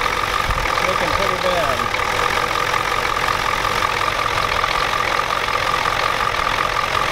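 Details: 1993 Ford F-250 7.3L IDI diesel after sitting since Monday: a sharp, rapid, even clatter at idle over wind noise. The injection pump was checked and confirmed out of time, and the engine smokes heavily.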